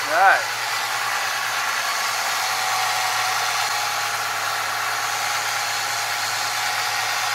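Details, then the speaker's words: 1996 Mustang, about 21 years old, first start after replacing the AC compressor with a bad pulley and refitting the belt: quiet, even idle, soft hiss and faint power steering pump whine, no knocks or squeals. "quiet other than the power steering pump"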